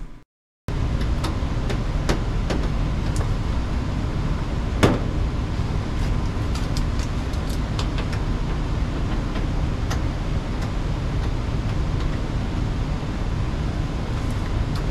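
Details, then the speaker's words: Furnace on a tenant's no-heat call after repair: steady even low rumble without surging or clicks; furnace firing normally, air warm, heat restored. "Warm. Tenant should have heat now."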